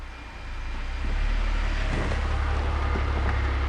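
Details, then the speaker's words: BMW E46 330i/325i with rebuilt ZF 5HP19 automatic transmission, first run with wheels off the ground in reverse: steady low drivetrain hum builds smoothly, no clunks, whine or grinding; transmission working properly. "Yeah, reverse is good. Well, everything seems to be working, which is excellent."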